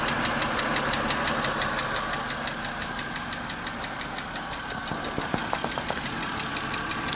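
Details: Car engine on a chilly, rainy day after its second start of the day: sharp ticking of about three per second that rises with the gas pedal, so likely mechanical, and disappears after 15-20 minutes; cause not identified.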